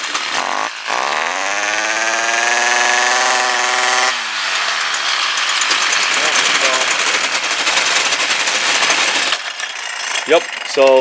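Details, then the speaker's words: Stihl KM56RC consumer multi-attachment weed eater, formerly no-start, after combustion chamber carbon cleanup and new aftermarket carburetor: small two-stroke fires up, holds steady high buzzing run, then revs and settles; running cleanly. "clean up of combustion chamber it was all carboned over and then a new carb and um looks like she's good to go again for a while"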